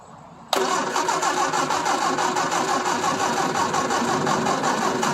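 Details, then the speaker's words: Triumph Spitfire 1500 with a slide carburetor, sitting 12 years, given a shot of fuel and cranked by key or starter solenoid: silence, then it catches, fires and runs raggedly on the sprayed fuel. "solenoid look at that yes yes nice she fired off"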